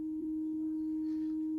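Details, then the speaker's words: TEAC V-1050 cassette deck, after rewind motor and driver problems, playing 315 Hz 250 nWb/m level test tone: pure steady tone, constant pitch and level, no beating or wobble; playback level correct. "І йде чистий тон. Е, не відчувається биття. Рівень відповідає тому, що має бути."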